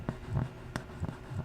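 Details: Apple HomePod with no bass and a dark spot on the woofer cap: sparse, muffled low thumps with a dry, buzzy scrape instead of clean bass; burnt woofer voice coil rubbing, likely from excessive DC offset; woofer to be replaced and the root cause repaired.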